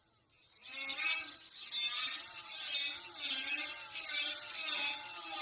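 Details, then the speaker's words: Welding repair on a trailer main frame: harsh crackling hiss with uneven surges and pops, the arc spitting; welder suspects insufficient prep (thick paint, poor ground) and plans to grind. "something ain't right its spitting do you hear it arcing out and stuff?"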